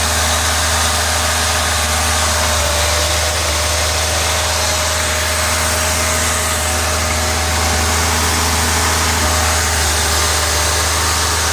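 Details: 1986 Ford Ranger 2.3L with ongoing misfires despite many parts changed: steady low idle with an uneven stumbling pulse about four per second; rough idle with intermittent misfire, cause not pinned down.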